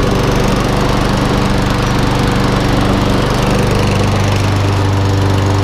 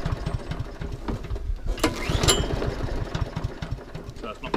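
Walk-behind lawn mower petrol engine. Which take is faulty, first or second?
second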